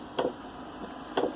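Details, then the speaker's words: Webasto Airtop 2000 heater installed in a Westerly Konsort boat, starting up with exhaust beginning to smoke: sharp single ticks about a second apart from the fuel metering pump, boxed in a locker; normal operation. "You can see it starting to smoke. And now you can hear the pump ticking, the metering pump."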